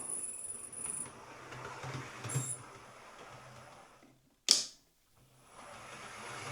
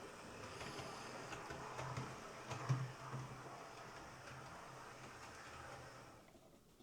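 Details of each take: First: Hornby R3903 ScotRail Class 43 HST model locomotive sent in for a whistling or squealing noise: after oiling a motor bearing, a faint thin high whistle still comes and goes over the running hum; the motor is suspected, and it runs okay in one direction. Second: Hornby R3903 ScotRail Class 43 HST model locomotive after its squealing motor was replaced with a new one, test-run with the body fitted: a faint, even whir of the motor and gears with one sharp click partway, running smoothly and steadily.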